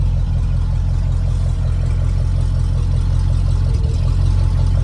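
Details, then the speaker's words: 1971 International pickup with an SV304 V8 at warm idle, oil pressure dropping to about 10 PSI. The deep idle has an uneven pulse and an occasional stumble, a slight misfire. It has a cheap replica carburetor, sat about two years, and had its accelerator pump cleaned. "You can hear it's got a little miss. That carburetor is a cheap Chinese replica from Amazon, so and it's been sitting, I don't know, 2 years now, so I don't love it, but runs better."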